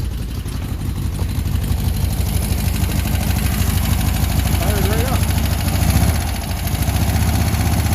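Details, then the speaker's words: VW Beetle air-cooled flat-four gravity-fed fresh gas from a jerry can, choke on: catches and settles into steady, slightly lumpy idle with no misses; runs fine. "up actually runs pretty good oh that's what I expected"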